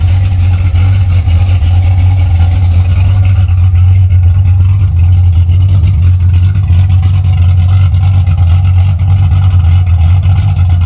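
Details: 1981 Camaro V8 after a top-end swap to a roller cam, aluminum heads and a different intake, freshly retuned and warm (oil pressure 35–40 psi at temperature): a deep, steady idle rumble with no misses, ticks or knocks. The engine is healthy.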